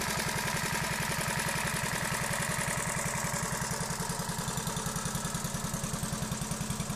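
Crisp, even two-stroke putter at a fast steady beat with no misses or knocks; a healthy engine running smoothly.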